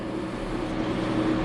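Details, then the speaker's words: Smith & Mills shaper running on a 480 V high-voltage supply, first start after transport: a steady, even motor hum with low drone, smooth with no knocks or surges, much quieter than a comparable machine. "motor runs nice and smooth too man I got to say that the Smith & Mills is a is a much quieter machine than the Jian either when it comes to the the motor and the transmission"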